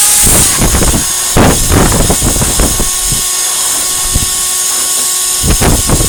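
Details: 1949 Electrix paint sprayer blower after restoration: loud steady blower rush with irregular flapping raspberry bursts as air escapes past the rubber seal; taping it did not stop the leak.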